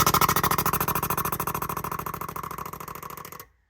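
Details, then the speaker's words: 2JZ Fox Body with a DIY CO2 boost control set up in ECU Master, using injectors as solenoids. The decrease solenoid (aux 6) is triggered and clicks quickly as it dumps the air, pressure falling to zero within seconds. Normal fast venting. "So you could hear it dumping the air, and there it is right there, went right to 0. That's pretty fast, okay?"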